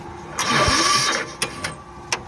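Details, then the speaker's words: Diesel mini digger run out of fuel, bled at filter and injector bleeder until fuel flowed; then the battery is too flat to crank: short labored whirr fading out, then isolated clicks, no firing: slow cranking from flat battery. "And then now we've just got no battery to jump start it. So You know what? what? No, it's got no crank. Pull that up. It's not got enough crank to turn the watch."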